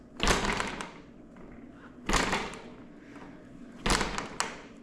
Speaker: Well, you can hear some excessive knocking. It sounds um a little metallic. Um I can hear it coming from the fork area, the stem area.